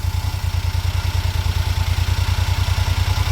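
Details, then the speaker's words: Mid-1990s (about 1994–96) Daihatsu Hijet mini truck after carburetor cleaning and new smaller alternator belt: low even idle thump about three beats a second, quiet, no ticks or rattles; normal idle. "All right, so let's start it. It's good. No funny noises. And it's quiet."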